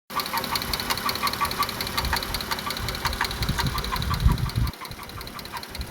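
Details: 2016 Dodge Grand Caravan: sharp steady ticking knock over the idle, keeping pace with engine speed; internal knock of unknown source, intake and rear valve cover to be pulled to inspect camshafts.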